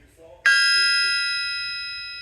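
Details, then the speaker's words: Bryant big-block crankshaft struck on its side with a brass hammer: one sharp strike, then a clear, church-bell-like ring fading slowly over two seconds with no dull thud. A cracked crank would thud, so this one is sound and fit for a motor. "hear that ring. Listen to that, like a church bell. Well, you could just hear that just ringing. And that, to me, I'd have no reservations putting that right in a motor."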